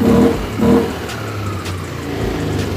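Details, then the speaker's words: Yamaha Aerox 155 after cleaning the dirty, carbon-fouled ISC that caused hesitation on initial throttle and an 80 km/h limit: two quick throttle blips climb cleanly without stumbling, settling to smooth idle; pickup now crisp and normal. "Jadi motor normal lagi, nggak ada masalah. Kita gas langsung mantap bosku ya."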